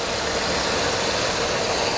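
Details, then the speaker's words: 2000 Pontiac Grand Am V6 (3100 or 3400) at idle: steady and even with no knocks or misses. It runs great; oil is clean with no milkshake. Cooling system was refilled with green coolant instead of Dex-Cool, and there is a new power-steering high-pressure hose. Normal idle. "it runs like an absolute top it runs great oil is clean no milkshake"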